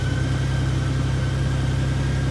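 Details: 2004 Honda Gold Wing GL1800, long stored in a shipping container, started after a new battery: steady, even low rumble, constant pitch, no knocks or misses; a possible relay click was heard; healthy normal idle.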